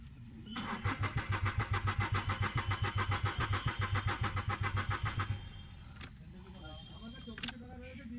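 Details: Renault Kwid that stalled while running and now won't restart, with fuel in the tank, plug coils being checked and engine oil leakage noted: the starter cranks steadily for five seconds but the engine never fires. Cranking no-start.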